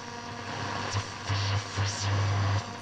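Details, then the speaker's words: Telefunken Operette 8 tube radio under restoration, RF section rebuilt after open coils were found, external antenna switch open (antenna connected): steady hiss with short bursts of low hum and no station, practically nothing to receive. Normal receiver noise. "making the noises [Music] but because we've got practically nothing to receive it's not surprising"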